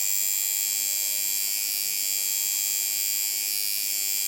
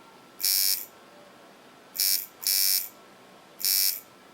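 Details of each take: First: Watson coil tattoo machine after tuning between a too-high and a too-low rattly setting: a steady, even high buzz with no clatter; later inspection finds the armature bar and spring crooked. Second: Watson coil tattoo machine with an aluminium frame: the buzz comes in short bursts that cut out as the armature pulls down magnetically and sticks, which is blamed on a faulty contact.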